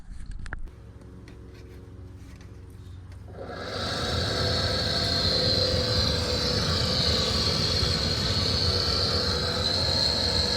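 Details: Dodge Charger A/C cabin blower motor before replacement with a used junkyard unit: loud air rush with a high, wavering whine and faint rapid flutter; noisy blower motor.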